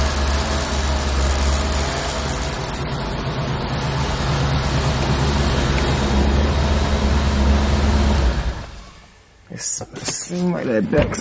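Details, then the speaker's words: C4 Corvette V8 at idle after replacing spark plugs and distributor cap: light tick about three times a second over a steady idle; owner suspects the rear plug is not fully tightened and plans to tighten it. "plug Lo all the way in cuz I hear it ticking so what I'm have to do is take that back one off and actually tighten it up a little bit more CU that's the only one I hear"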